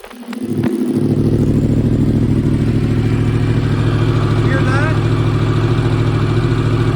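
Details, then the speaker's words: 2015 Yamaha R1 race bike with 7200 track miles, cold start after two weeks unused: catches within a second into an even fast idle with no valve tick or rattle; everything adjusted, quiet, healthy. "exactly everything's adjusted it's quiet it's in good shape"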